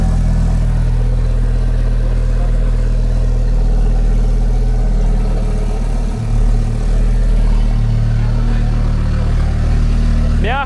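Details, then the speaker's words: First start of a fully restored Audi S4 with fluids filled and default firmware: a deep, steady low idle rumble for ten seconds with no knocking or ticking, running soft and smooth; normal idle. "первый запуск да он каждый раз как первый"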